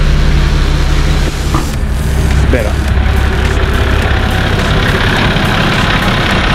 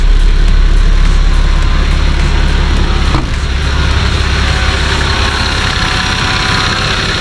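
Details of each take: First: Nissan Patrol TD42 diesel after installing a new UFI fan, with a broken-off shroud tab that had been hitting the fan now removed: loud steady idle with an even airy fan hum, no rubbing or rattling, moving more air. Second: Nissan Patrol TD42 diesel at idle after fitting a new UFI fan and clutch kit (engine had run up to 115° towing): fast, light scraping tick at fan speed, about three a second; a broken-off shroud piece left a tab rubbing on the fan.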